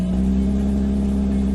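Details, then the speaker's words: Alfa Romeo 156 2.5 V6 Busso CF2, one owner, after replacing all six spark plugs and cracked coil packs that caused misfire: steady, smooth V6 exhaust drone with no popping; running normally. "No more pop, pop, pop, pop, pop, pop, pop. We've got Busso Beauty. I'm happy. So happy. The customer's gonna be even more happy. Running silky, as a V6 Busso should."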